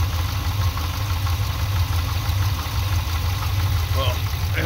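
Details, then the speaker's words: Truck with an automatic transmission, at idle, heard from underneath between the transmission and engine: uneven loose knocking and rattle over the low rumble. The owner suspects a cracked flex plate. "so sounds like i cracked my flywheel like i said well technically it's not a flywheel this is an automatic it's a flex plate so it sounds like i cracked my flex plate"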